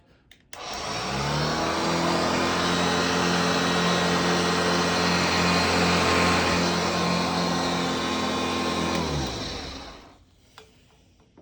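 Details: Hoover Junior (UK) / Lark (US) model 115 upright vacuum running on a newly fitted belt: motor spins up to a smooth, even hum with steady whir, holds about eight seconds, then winds down; healthy run.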